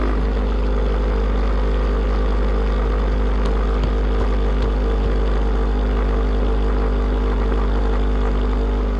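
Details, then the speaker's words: New GPI fuel transfer pump (8 gpm replacement) running after priming: steady, even motor hum with a constant low drone, no rising pitch or grinding, pushing pressure normally. There is a small leak, to be fixed with different fittings later. "All right, well, we got a little leak right there, but she's still pushing pressure, so we're gonna call that a win for right now"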